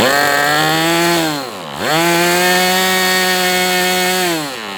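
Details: MDS 68 FS Pro four-stroke glow engine on a break-in run, heavy exhaust smoke: steady high-rpm note, a brief dip with even recovery, then lower. No misfire; better than with the idle bar plug, after carb tuning.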